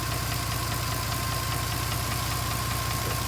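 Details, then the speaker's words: 2010 Mercedes-Benz C300 4Matic at idle: sharp even ticking with a duller knock beneath, about two and a half per second, both rising with revs; knock seems from lower passenger side of engine; cause unknown. "and a knocking sound. The knocking sound sounds like it's coming more from the bottom passenger side of the engine. Not sure exactly what's going on. Both sounds rev with the engine."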